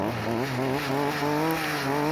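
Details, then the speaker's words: Stihl FS 38 trimmer that wouldn't start, after its 15-year-old carburetor was cleaned with carb cleaner: a lively two-stroke buzz at a fairly steady pitch, slightly wavering with throttle, no bogging; runs normally. "вроде бы и так вообще все бодренько"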